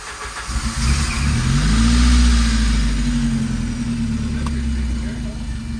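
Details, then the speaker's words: Saab 900 after manual gearbox swap, starting again: catches quickly into a steady even low rumble, no misses or knocks; normal start and smooth idle, with a radio-like beep, possibly from unconnected wiring. "we got lots of harnesses she's starting up nice and smooth there running nice and smooth"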